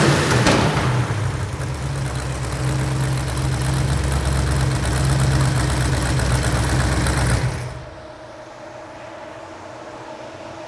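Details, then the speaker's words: Rebuilt Ford V8 from a 1972 Pantera barn find, fully warmed up: sharp puffing tick on every firing pulse; headers leaking at the cheap stamped-steel header gaskets from the engine kit. "we got the engine running got it warmed up real good and if you could hear it you could hear the headers leaking"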